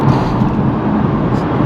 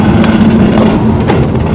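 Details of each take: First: BMW driving after a fix: steady low road and drivetrain rumble with no scraping or screeching; the scraping came from parking brake cables touching the drive shaft, now zip-tied away. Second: BMW driving with a rough, continuous scraping drone and steady low hum, after rear struts were replaced: a sagging parking brake cable rubbing on the driveshaft; fix is zip-tying it up.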